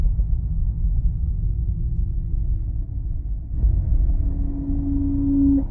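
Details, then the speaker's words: Car coming to a stop at a red light: below about 5 km/h a low humming moan, like karaoke speaker feedback, swells over the cabin rumble; judged brake groan, not the speakers, so the brakes need checking. "근데 5km 밑으로 갈 때 소리가 노래방 스피커 증폭 울림 소음이 들립니다"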